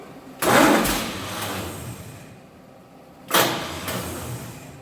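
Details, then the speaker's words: 1948 Chevy truck engine, not run in 30 years, diesel in the oil pan, new coil just connected: two short starter bursts, each a sharp whir winding down without turning the engine; the starter is failing and not engaging. "the start is going out on it too so we've got to get it to engage"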